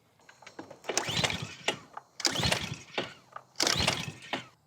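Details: Curbside-found Ryobi 3000 PSI gas pressure washer, left sitting without maintenance: three hard recoil pulls, raspy ratcheting spin, never fires; spark confirmed good, so fuel system suspected, possibly stale fuel.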